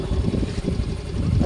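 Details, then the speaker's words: Yamaha Mio i 125 M3 scooter that was hard to start despite new battery and regulator, after replacing the starter: strong, quick low cranking catches into an uneven running rumble within a second; starter now healthy. "na po siya nag-start na anan napakalakas po Ngayon mga ka idol ng starter Ugong na starter at napakalakas"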